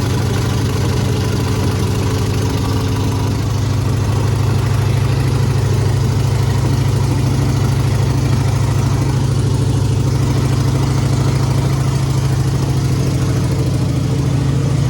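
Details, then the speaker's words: 1950 GMC on an S10 frame swap, cold February morning around 20°F, electric choke not wired, no exhaust fitted yet: low, lumpy idle that won't hold steady; proper tuning is waiting on exhaust. "she does not want to stay idled so we need to figure out what's going on there"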